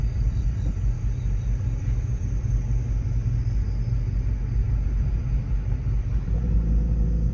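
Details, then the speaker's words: Car after hitting a deer, heard driving at cruise: deep, loud rumble droning under the car, much heavier than stock, not rubbing; driver suspects an exhaust leak, possibly pierced metal, unconfirmed. "huh the more I hear the more it sounds like an exhaust leak I'm not sure I know it's not rubbing"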